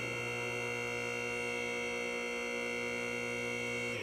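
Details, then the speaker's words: Atlas Platinum 10,000 lb car lift during first raise while purging air: steady, even electric hum of the hydraulic pump filling the cylinders, cutting off cleanly; normal operation. "so that's filling your cylinders your rams looks like we're about to move here"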